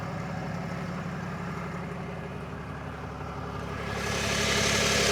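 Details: 2022 RAM 3500 idling after two hours of driving, hot: steady low rumble with a faint rapid pulse, then a swelling hiss near the end; owner unsure if normal, source unknown.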